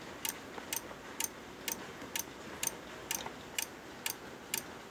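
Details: Corsair power supply making loud, sharp, dry clicking, about twice a second, steady and even over a quiet background; cause of the clicking unknown.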